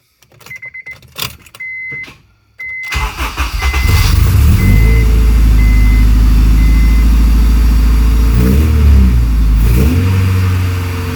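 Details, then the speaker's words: Acura RSX after fixing an exhaust leak, just started: loud even fast idle with deep exhaust drone, earlier tick not heard; normal cold idle. "Sorry if you can't hear me because the exhaust is so loud, but I don't hear the tick right this second."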